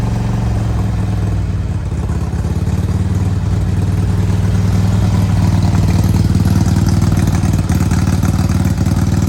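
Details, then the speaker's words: 2002 Harley-Davidson Road King FLHRSEI Screaming Eagle, after new plugs, wires and carb-side work, idling high with engine light on; lumpy uneven V-twin idle with skipped beats, pops and backfiring, rpm hunting. Misfire, intake air leak suspected. "backfiring making it hard. All right, so it looks like I still have some problems with this. You hear it? Hear it misfiring?"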